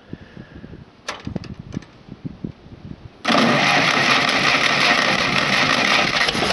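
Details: Engine restarted after running out of gas: a few scattered clicks, then it catches and settles into a steady, even idle with no misses; running normally.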